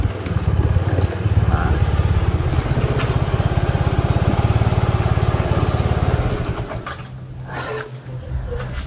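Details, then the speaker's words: Honda Vario 110 carbureted scooter, previously rough and lacking power: after repair, smooth even engine drone holding steady under load on an incline then easing off; runs normally. "Motornya udah kembali normal."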